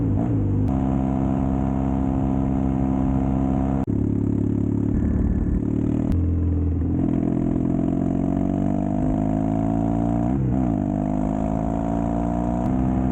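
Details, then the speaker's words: Custom Triumph Bonneville T100 with Down & Out drag pipes, after stage 1 torque kit and stage 4 ECU remap: deep even twin grumble following throttle, no overrun pops or bangs; normal exhaust note. "I've now got the low grumble, backfiring stopped, popping stopped. The bike absolutely runs like a dream."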